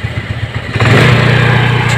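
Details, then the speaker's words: Suzuki Spin scooter, before carburetor repair: an uneven idle, then a quick throttle blip; the revs hang high instead of dropping straight back, only settling later. Mechanic suspects a scratched, sticking carburetor vacuum slide. "Nah, untuk langsamnya tidak mau turun langsung ya. Nah, ini baru turun sendiri ya."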